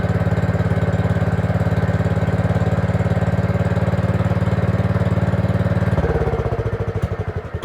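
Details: Gravely 5665 freshly fitted with a China carburetor (after a 15hp carb was tried), air cleaner on: it runs evenly on choke, then the beat loosens and fades after about six seconds. It won't run without choke; the owner suspects play in the throttle arm is sucking in air, causing lean running.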